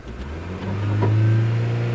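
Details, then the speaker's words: 2001 Mitsubishi Galant with NGK copper plugs revs past the roughly 1,100–1,500 rpm misfire band into a smooth, steady drone with no miss; misfire traced to a counterfeit camshaft position sensor. "But soon as you get past that, boom,"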